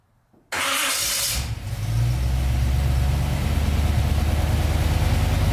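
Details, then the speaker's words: 1990 Chevy Camaro, small-block 350 with Vortec heads and Holley Sniper EFI, hot at 166 degrees after new mini high-torque starter replaced old GM starter: quick, strong sub-second crank, catches and settles into a steady lumpy idle; healthy hot start. "all right well i am sure that you guys could tell on the video that that uh starter has made a massive difference in how easy this thing is starting right now and that's why it's hot so i am very happy with that"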